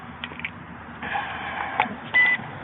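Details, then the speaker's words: Toy X Drone powering up after the battery is plugged in: a few faint clicks then one short clear high beep, meaning mode one (slow mode). "you got three modes one beep is mode one which is what is in now"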